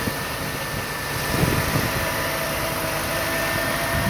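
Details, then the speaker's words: One-owner 1990 Mercedes-Benz 190E, 76k actual miles, new exhaust from manifold to tailpipes: steady, even idle with a smooth low murmur and no knocks or misses; engine sounds healthy. "as you can hear oh by the way this car has new exhaust from the manifold all the way to the tailpipes"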